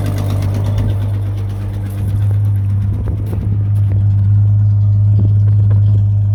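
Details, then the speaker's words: 1966 Ford Mustang six-cylinder, sat 22 years, fuel age unknown: catches on starting fluid and runs with a low, uneven rumble and occasional stumbles, struggling to settle into idle. Rough running on starting fluid. "Yeah, it's blowing out the back now. True, we don't know what kind of gas or how old the gas or how much gas is in the car. So yeah, good start though."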